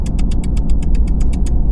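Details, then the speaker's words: 2024 Ram 2500 6.7L Cummins diesel at idle (700–900 rpm) right after oil and filter change (12 quarts): deep rumble with sharp even tick ~8/sec, louder at 1500 rpm; others with the same engine report fixing it by switching oil. "getting a ticking sound. And so I'm looking it up, and I'm seeing other people with the same motor have the same issue."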